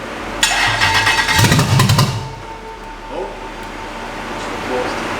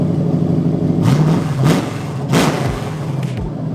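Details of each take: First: First start of a Toyota LS400 V8 swapped into a BMW E30: loud rough start, then a lumpy, uneven idle with a lazy off-beat; one bank misfiring from fouled spark plugs. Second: BMW E30 with a V8 swapped in from a Lexus LS400, first start on the key: deep V8 rumble with quick throttle blips that rise and fall cleanly, running evenly.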